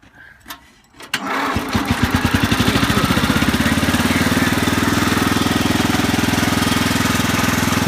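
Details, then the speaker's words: Cub Cadet 1100 garden tractor: cranks, catches after a second and settles into a steady, even idle; idle drops when put in gear as rear end drags slightly. "down that's idle now when you put it in here it goes down from that because you know the rear end is going to be dragging a little bit on it"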